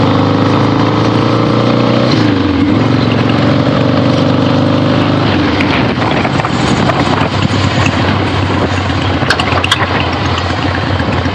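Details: 1975 Harley-Davidson XLH Ironhead Sportster, freshly rebuilt and basically stock, on a test ride with the camera clipped to the rider: loud, even V-twin drone rising through the gears under throttle, wind rush, no knocks or rattles; runs great, healthy.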